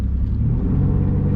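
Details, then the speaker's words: Single-turbo Nissan 370Z Nismo under a light rev: deep, steady exhaust rumble with some pops and no raspy hiss, showing a sealed exhaust with no leak. "i like the d cell that's all i can tell when i have an exhaust leak see that's how it's supposed to sound"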